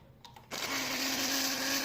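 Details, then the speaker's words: Electrolux 12 kg washing machine during spin: loud, harsh whirring roar with steady low hum from a failing drain pump; replacing the pump fixes it. "barulho bem estranho. E isso daí é eletrobomba, tá? Trocando eletrobomba aí resolve o problema."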